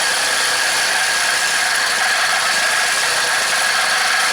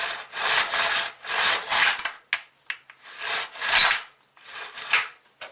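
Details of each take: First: Craftsman four-cycle mini cultivator after long storage, on a second new aftermarket carburetor: an even, unbroken note at a slightly high idle with no misses, because the throttle is held up. A faint squeak is suspected to be in the clip. Runs healthy. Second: Craftsman four-cycle mini cultivator, just fitted with a new carburetor: several raspy rope pulls that rub and rattle with no turnover, so the recoil starter isn't engaging. The owner suspects it is seized or rusted, not yet confirmed.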